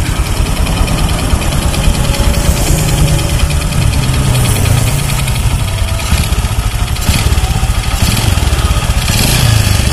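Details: Honda Supra X 125 motorcycle running rough with power loss: loose ticking ("tek tek") from the right-side clutch cover, caused by centrifugal clutch shoes worn down to bare metal; fix is replacing the shoes.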